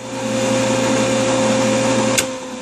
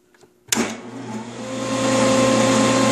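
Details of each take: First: Machine motor on a Baldor 18H vector drive with high DC bus fault: steady hum and whine, click, then fading growl as it spins down, ammeter jumping 0 to 1.0 A; start capacitor discharging back through start windings. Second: Old benchtop belt-drive dado table saw motor with power feed, previously on a Baldor VFD: clicks on, spins to a smooth steady hum, no rubbing or vibration; idles about 4.9 amps unloaded, rated 6.5.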